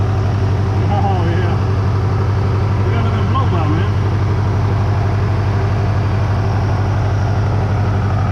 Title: rod knock tic tok will it put a hole in the block